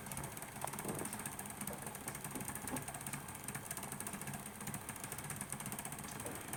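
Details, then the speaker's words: Model P2 "Cock O' North" locomotive: quiet, fast ratcheting rattle from the gear train; unsure whether the motor is turning incorrectly or the gears are mis-meshing. "I don't know if that is just the motor not turning correctly or whether it's the actual meshing of the two gears"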